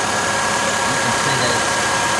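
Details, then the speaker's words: 2012 Nissan Altima idling after serpentine belt replacement and splash guard install, belt checked for alignment: smooth, even idle hum with no chirp or squeal; accessory drive sounds healthy. "checking it to make sure it's aligned, it's not making any noise."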